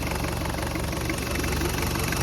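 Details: Toyota 1KZ-TE turbo diesel idling after reassembly with new injectors, cleaned intake manifold and throttle body, turbo downpipe refitted and oil return pipe changed. Steady, even idle with light injector clatter and no misses or leaks; healthy.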